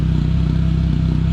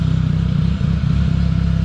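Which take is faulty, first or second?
first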